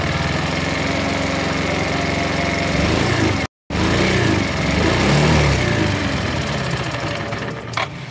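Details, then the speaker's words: CVT scooter after an engine overhaul and new air filter, on a test ride: coarse, uneven clatter at about four per second, no power, stalls on throttle release and tops out near 50; a worn camshaft is suspected. "oke suaranya kasar sekali ya kalau lepas gas mati"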